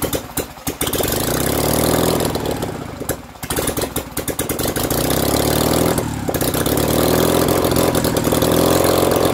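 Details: BMW R69S twin with Kayser Power Kit, first start after engine restoration: idle stumbles and surges unevenly, dropping out and recovering; carburettors of unknown origin are troublesome and still need attention.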